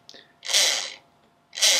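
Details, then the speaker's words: Ferguson TED20 tractor generator (dynamo) resting on a vise and spun by hand: two short dry rasps of the brushes on the commutator, the only drag expected; it is not stiff and the bearings or bushes are not seized, so it sounds healthy. "that noise you can hear is the brushes running against the commutator and basically that's the only drag you're expecting to experience when you spin this"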